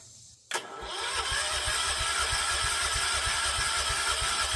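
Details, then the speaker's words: John Deere 314 garden tractor (possibly '80s), Kohler K321 single-cylinder, 42 psi compression, spark present: slow even starter churn about three beats a second with high whir, never firing; fuel not reaching cylinder, crank no start. "It's working fuel up. That's good. I don't want to burn that starter up."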